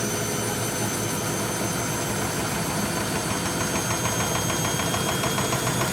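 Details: German washing machine on high-speed spin after repaired dampers were fitted, with the cushions removed. It stands on four feet on linoleum over screwed chipboard and board floor, mid-bathroom, unpropped. Steady roar with a fast shaking rattle: strong drum vibration, but the machine doesn't walk.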